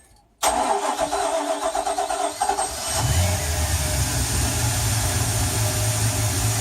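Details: Boat engine that had hard starting and would not exceed 4,000 rpm, after fixing fuel restriction and spark and replacing and priming the fuel pump; cranks about 2.5 seconds, catches, then holds a steady, even low idle.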